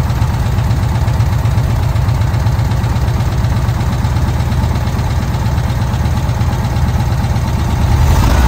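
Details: VW Kombi air-cooled engine after a carburettor jet change, idling while the air mixture is set: steady low chug with even pulses and a slight lift near the end, smooth and settled; normal idle.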